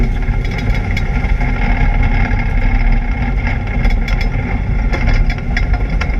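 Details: ABR Camaro on misfire laps: loud engine pulling hard on track with an uneven, stumbling beat and sporadic sharp pops, an engine misfire under load.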